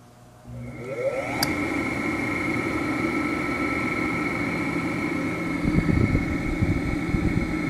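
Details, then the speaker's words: Vintage electric motor on bench test, Westinghouse machine tool motor with potential relay start: steady hum with high tones and a gritty rustle underneath; bearings sound tired, worn motor bearing noise. "Bearings sound like they're a little tired."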